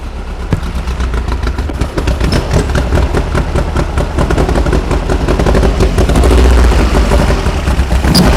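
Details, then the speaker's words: 1973 VW Super Beetle air-cooled engine on 40 IDF carburetors, being troubleshot for drivability problems with distributor position questioned: busy but even clatter at about 2.5 beats per second, steady with no stumbles; idles cleanly and happily. "you can tell how happy it is"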